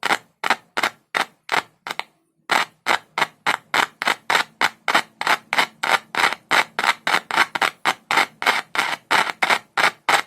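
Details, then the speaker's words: Larger audio speaker tested with only a single cell, no multimeter or amplifier: loud, crisp pops about three a second with no buzz or rasp; coil and cone test good, so it will work. "यह भी ठीक है। अगर इस बड़े speaker में आवाज़ अच्छी है, तो यह वाला भी ठीक है। इसकी कॉइल, स्क्रीन, सब कुछ ठीक है।"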